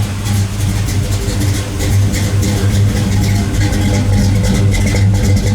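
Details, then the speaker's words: 1973 Camaro Z28 V8 just after swapping stamped-steel rockers for full roller rockers and setting the timing: a deep, slightly lumpy idle with each cylinder firing distinctly and a light crackle, steady and even; normal healthy idle. "You can hear the individual cylinders firing. That's what you love to hear. That's what an old muscle car should sound like."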